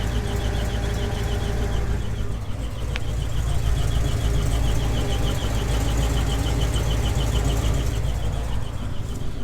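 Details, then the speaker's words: GMC 2500 Vortec V8 at idle just after first cold start of the day: quick high bird-like chirp three or four a second, not the belts; oil pressure low (just past a quarter) after earlier oil-pressure loss, owner suspects oil pump plunger. "now it just started so i'll let it sit here and run for a bit yet but this is this aggravating chirping noise that uh that i'm talking about"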